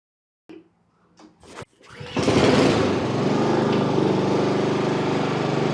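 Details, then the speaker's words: Honda HRX mower that was surging, after removing and cleaning the carburetor: after a few start pulls it fires and settles into an even, steady run with no hunting or surging; normal steady run. "That sounds good."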